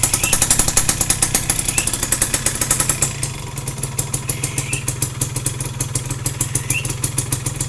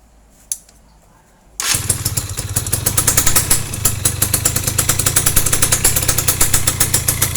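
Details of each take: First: Yamaha F1ZR two-stroke idling after clutch-side work for a rough clutch noise, exhaust test: a quick, steady popping beat with no heavy rattle; normal idle. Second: Yamaha F1ZR two-stroke owner says runs rough at the clutch; it catches and idles with an uneven, gravelly rattle over popping exhaust, pointing to worn clutch housing rubber dampers (checked before teardown).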